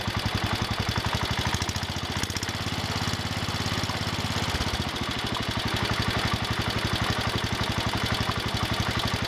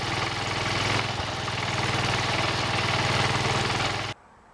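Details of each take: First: John Deere 110 garden tractor single-cylinder engine idling steadily after rod knock repair: light lifter tick and belt rattle, no rod knock heard. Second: Worn single-cylinder engine on a John Deere 110 garden tractor, first start after fuel tank cleaning, idling: steady hard knock on each firing beat, suspected connecting rod knock, then shut off.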